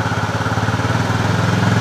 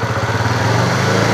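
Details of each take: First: Honda CB fuel-injected motorcycle with erratic running when throttle is opened, unresolved after five services: revs raised, engine pulses unevenly and wavers in pitch while the throttle reading on the scanner stays at zero; faulty throttle sensor signal suspected. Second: Honda CB fuel-injected motorcycle that stumbled on throttle despite five services, after repair: short pull with steady thrum rising evenly without stumbles or cut-outs; throttle response clean, normal.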